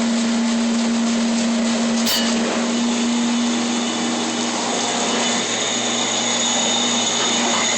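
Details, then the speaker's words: Newly installed dishwasher running with a loud steady whir, strong low hum and gritty racket; the client finds it extremely noisy and a bearing in the pump motor is suspected. "the client finds it extremely noisy and i hear like a bearing making a racket there in a pump motor"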